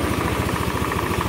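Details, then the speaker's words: Old Honda Beat scooter running rough and smoking, burning oil; after valve seals and rings replaced, idle still has a steady hollow "otok-otok" knock, louder at very low rpm: connecting rod knock, bearing problem expected. "teman-teman ada suara otok-otok suara otok-otok ini adalah suara stang ya"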